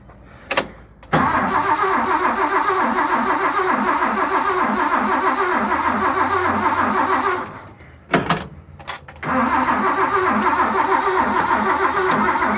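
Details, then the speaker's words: Nissan G60 Patrol after years as lawn ornament, cranking on fuel poured into the carburettor bowl, battery booster considered: two bursts of uneven galloping cranking, about three pulses a second, no fire; spark or a vacuum leak suspected. "I guess we go back to do we have spark or do I just put more fuel down and see what happens? I just don't like the sound of that gallop."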